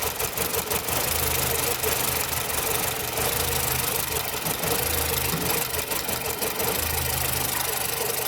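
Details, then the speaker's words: Nissan Platina with loss of power and shaking when pulling away from stoplights, backfiring through the exhaust: rough stumbling idle with crackly snapping as spark leaks from the coil to the engine metal at the plug, an ignition misfire. "miren entonces como el motor es prácticamente metal donde entra la bujía y esto es lo que sospecho que está pasando que se sale la chispa esto no debería de estar haciéndolo"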